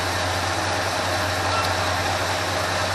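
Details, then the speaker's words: 1980 Ford F350 after a carburetor rebuild and idle mixture adjustment: steady, even idle with no misses or stumbles, guessed at around 650–750 rpm without a tachometer, right where it should be. "that's got the idle fairly smooth right there the rpm sounds about good i don't have my tachometer set on it so not sure exactly where it is but i'm guessing it's probably right around six seven hundred fifty rpm right about where it should be"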